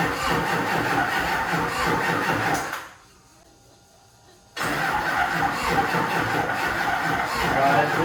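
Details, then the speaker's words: HMMWV Humvee Duramax LBZ diesel swap, first start attempt after FASS lift pump install: steady starter churning about three turns a second, pause, more cranking, never catches; owner suspects incomplete fuel priming, battery doubtful. "last night just cranking and cranking and cranking and cranking and I don't think that it can I don't know I'm trying to go back through stuff"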